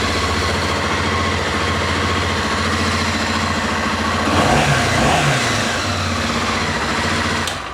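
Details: Honda XRE 300 single, after replacing the starter clutch plate with fresh oil added, first start: clean starter engagement with no grinding or clatter, then a steady, even idle; starter noise cured.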